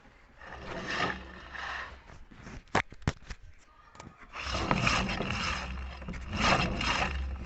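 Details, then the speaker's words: Electric motor on the bench before bearing and seal replacement: spins up with a rough scraping rumble that swells and fades, then drags and slows; worn bearings. "como vemos el motor gira pero é llega un momento en donde se frena Pero hay ruido"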